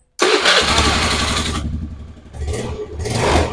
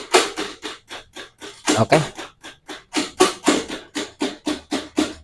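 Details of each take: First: Honda Beat carburetor scooter, after fitting a battery: brisk, strong cranking catches almost at once into a steady run with a couple of clean revs; starting back to normal. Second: Honda Beat carburetor scooter with weak starter complaint: repeated sharp clicks about three per second with no cranking; starter relay chattering on a weak battery.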